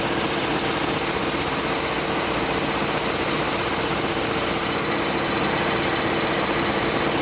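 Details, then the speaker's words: 2003 Pontiac Grand Am GT at idle with the AC just switched off; harsh, uneven rattle about four beats a second from the accessory drive, owner suspects a water pump with play once the AC compressor's belt tension is gone. "oh baby i bet for sure i bet it is the water pump sounds like it's got like play in it without the tension from the ac compressor"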